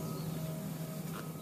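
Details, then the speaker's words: Electric blower on the Trevithick steam locomotive's firebox, switched on during fire lighting on a damp day: even, low motor hum at one steady pitch, no knocks or rattles; blower running normally. "although that is the blower like the actual engine"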